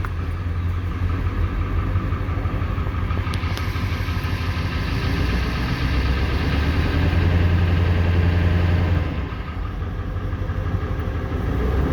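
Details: 1994 Ford 7.3L Powerstroke pickup that sat 4–5 years without running: steady deep cranking drags on about ten seconds before it catches. Injection control pressure is building too slowly while cranking.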